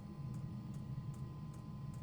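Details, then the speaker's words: Newly fitted Chinese diesel heater on a narrowboat: soft steady burner roar with crisp, even pump ticks about every 0.4 s. It sounds different this time and the outlet air turns warm, so it is burning properly and running normally. "That definitely sounds different this time. And the air coming out is vaguely warmer."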